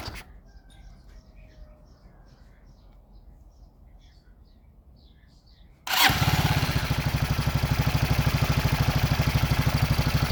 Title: Мотор Racer 164fml 200куб нижневальный с балансирным валом первый запуск после ремонта